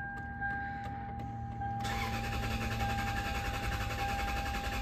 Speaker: nope both of my little OBD readers are not connecting so I'm wondering if maybe the ECU plugs I got mixed up or they're not seated properly because we're just getting no symptoms